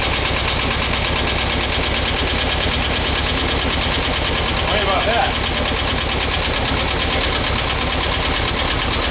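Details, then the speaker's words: Rescued VW bus engine on its first start, carb uncleaned, fed from a gas can: a lumpy, skipping idle with an uneven low beat and missed pulses, one cylinder skipping. The owner plans to adjust the valves. "that yeah what one cylinder skipping we're going to go adjust the valves"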